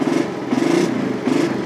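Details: Motorcycle fitted with an anti-theft switch that kills the engine when a gear is engaged, idling in neutral: steady mid-pitched idle with gentle rise and fall about every half second, no knocks or rattles; normal.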